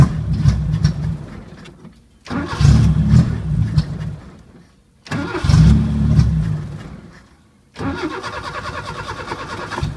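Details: 1980 Chevy Luv, carbureted engine barely run in years, started on jumped battery: fires, revs briefly, sags and dies three times over ten seconds; won't hold idle. Owner finds carburetor trashed and plans to clean it; cause suspected.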